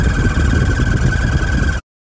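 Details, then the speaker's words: 1985 Chevrolet Caprice Classic, 5.0L 305 V8, about 153,170 miles, while driving: steady high-pitched squeal from behind the gauge cluster over engine and road rumble; speedometer cable suspected, replaced. "so we suspect the speedometer cable is the cause of that noise and we'll be looking at that today"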